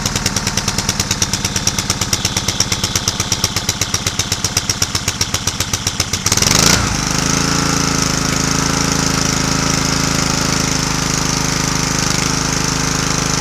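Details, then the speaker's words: Snuba dive-rig compressor, small petrol engine, pull-start with choke on after storage: pull-cord rattle for six seconds, then it catches on the first real pull and settles into a steady, even run with no misses while building pressure. "Boy, that's a good sign. Cranked up on first pull."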